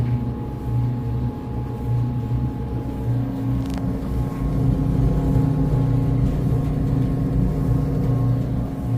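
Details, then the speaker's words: Whirlpool dryer WED92HEFC2 after new belt and drum rollers, motor blown clean: brief loud buzz at start, then constant buzzy hum, 70–72 dB versus normal 60–65; worn drive motor near failure, to be replaced. "goes, it makes like a really loud kind of buzzing sound for about half a second, but then it's a little bit louder than normal. I mean, that's typically pretty indicative that the motor could be on the verge of failing within weeks or a couple of months."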